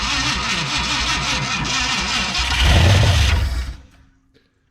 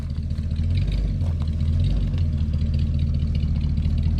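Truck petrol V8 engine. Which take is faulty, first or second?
first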